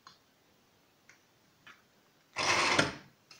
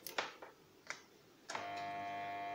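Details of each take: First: A few faint clicks, then a brief strong whirring as a KSB Multi Eco garden pump motor spins up cleanly, after replacing the failed 12 µF 450 V start capacitor that kept it from starting. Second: KSB Multi Eco garden irrigation water pump that no longer starts: when plugged in, the motor never spins up and gives a continuous steady buzzing hum after a few clicks; a failed start capacitor is suspected (12 µF 450 V).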